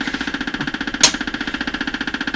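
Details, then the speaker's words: Stewart Warner R514 tube radio under restoration, no reception, on AM band B with the owner acting as antenna: fast even pulsing buzz about a dozen ticks a second with one sharp crack, interference from an unidentified source in the shop. "now we're listening to the am radio oh there's that noise still there see i'm acting as the antenna here"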